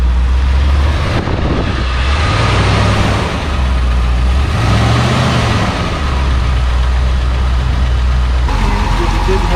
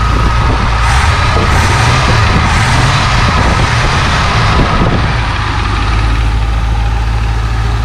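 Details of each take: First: Barn-find 1966 Ford Thunderbird V8 idling after cleaning the cylinder 8 plug that hadn't been firing: deep idle with slightly uneven beat, still a little rough, slight lifter tick, after a 125-mile drive. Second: 1966 Ford Thunderbird V8 barn find, sat about 32 years, on day three of a Route 66 trip after about 125 miles: after cleaning a plug it fires on all eight cylinders, still slightly rough with a faint lifter tick; normal running.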